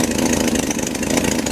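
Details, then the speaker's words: BMC Wolseley Farina 24/80 after engine rebuild, first start with a muffler that doesn't fit: rapid, rough, raspy puffing chuff at firing rate; exhaust leaking at the silencer and sounding dreadful. "we're leaking out of here and it sounds absolutely dreadful"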